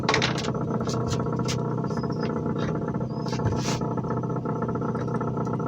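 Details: Relatively new Tohatsu outboard that suffered vapor lock and wouldn't restart, after the old vented fuel line that conflicted with a modern vented California gas can was removed. It started with one pull and idles steadily and evenly with no misses or knocks.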